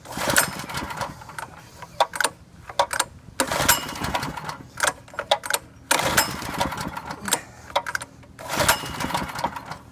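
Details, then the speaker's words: Harbor Freight 3" trash pump with Predator engine after a carburetor kit swap and new spark plug, choke off, a third to half throttle; pops and catches in short bursts then dies; owner suspects governor link arm or spark. "gas is on about a third throttle half throttle it kind of sputters like it wants to start but of course it ain't helping"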